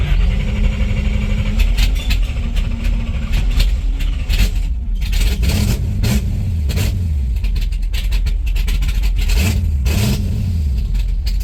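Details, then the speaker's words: 1970 Chevelle station wagon with a freshly built small block (aluminum heads, being broken in) and 4-speed: lumpy V8 idle with quick throttle blips that rev cleanly and settle evenly; normal warm-up revving. "Gotta let it wake up a little bit. That's the "my neighbors love me" sound."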